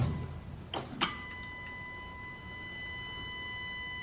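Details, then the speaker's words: Mitsubishi Evo 8 drag car at key-on with battery connected: a couple of thunks, then a steady high beep over a low fuel pump hum; normal pump priming and key-on beep. "I'm gonna just put the battery on. So it's gonna be annoying. You're gonna hear like a beeping sound, like a beep, but that's just normal one."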